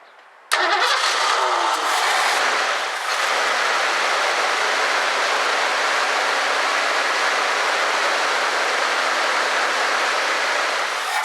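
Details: 1984 Ford Mustang GT350 barn find: cranks and catches, holds a steady idle roar for several seconds, then dies and won't keep running. Starting fluid used, owner suspects a fuel issue or non-working fuel pump and plans to check the fuel filter.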